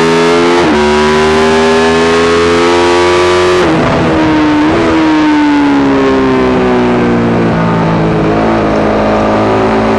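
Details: Yamaha YZ450 single in a supermono race bike revving hard with uneven firing and brief stumbles where the note drops out and recovers. Constant misfire, worse after a couple of laps; carb settings, fuel tank, filter, breathers, ignition, coil, generator changed, cause unknown.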